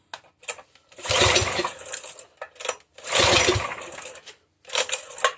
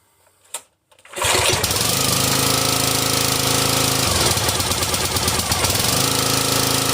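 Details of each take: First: Brute 35-ton log splitter, Briggs and Stratton XR Professional 250cc at full throttle: two short cranking bursts that die without firing; no start, spark plug fouled from running on full choke after choke lever broke. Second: Briggs and Stratton XR Professional 250cc engine on a Brute 35-ton log splitter, after a no-start from a broken choke lever left on full choke and a fouled spark plug. Choke repaired, it fires after a brief pull and runs steadily with no misses; normal start and run.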